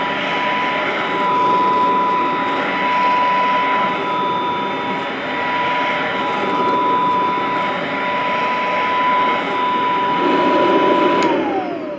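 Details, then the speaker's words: Royal Model 153 all-metal vintage upright vacuum, owned 22 years, year unknown: steady even motor hum with constant high tone; only a light rattle from the rug plate, which these all seem to do; normal running. "Wow, what a great machine. Again, just the only rattle is from that rug plate, and they all seem to do that."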